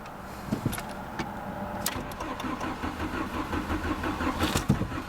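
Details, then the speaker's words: VW Jetta automatic, no start: starter turns engine over in quiet, uneven chug that never fires; no fuel pump prime heard with key on, fuel pump or its relay suspected, not confirmed. "yeah, it's just cranking and cranking, but it's not starting."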